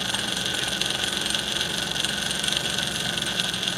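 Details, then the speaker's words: Rebuilt Marx 999 model train motor after fixing its drive gear bearing by staking the plate to hold it: smooth, even high-pitched whir, much quieter than before: normal motor running. "you can just hear how much quieter this runs now"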